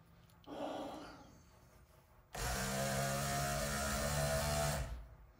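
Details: Electric flap motor from a 1964-66 Thunderbird convertible flap transmission, bench-tested after rebuild, held lightly in a vise and loaded by hand; steady hum holds pitch and pull with no grinding, binding or slowing: motor strong and healthy.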